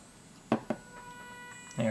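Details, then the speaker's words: Small DC motor on Arduino with L298N driver, PWM set low (about 18–50): thin steady high-pitched whine, motor stalled and not turning; insufficient PWM current at low duty cycle. "those are just simply too slow the motor won't turn but what it will do is whine if you get can hear it"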